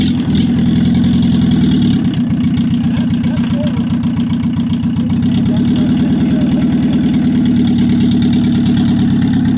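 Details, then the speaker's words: 1982 VW Rabbit diesel pickup with the exhaust off at the headers: rapid, hard clatter with a raw, unmuffled bark at idle. "exhaust is off if that was uh race car special approved and now we've got the headers wide open what's it going to sound like now"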